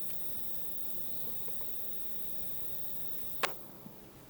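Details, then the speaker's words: Charger with USB port powering a desk fan while charging: faint steady high whistle over quiet room hiss; coil whine from the charger, barely perceptible except when all else is off. "es un ruido la verdad eh bastante imperceptible bajo mi punto de vista sobre todo aquí ahora la cámara pero sí que es cierto que cuando tienes todo apagado pues El enchufe se escucha IP zumbido ese que justo es el mismo que os comento en este vídeo"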